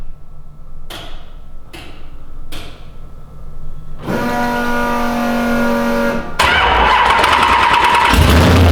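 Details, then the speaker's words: V8-swapped S14 first start after build, fresh oil pan with high-zinc non-synthetic racing oil, tank refilled after being drained of gas, no radiator fitted: a few cranking clicks, then catches into a loud, steady, uneven-sounding run; normal start and run. "It just ran. Are you stoked? Hell yeah, I'm fucking stoked."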